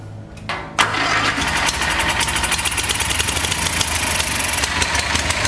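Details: Kohler Magnum 20 single-cylinder engine on a lawn mower tow vehicle, after valve job and carb rebuild, first start: cranks briefly, catches, runs on with quick steady beat, no knocking; normal running.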